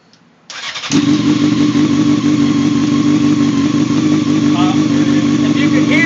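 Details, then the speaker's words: Honda CBR F4i with stock OEM exhaust customised with pop rivets: bike settles into a steady, lumpy idle with a light tinny rattle from the new rivets, expected until they set in. "you can hear the rivets rattling that's what it's supposed to do till it sets in"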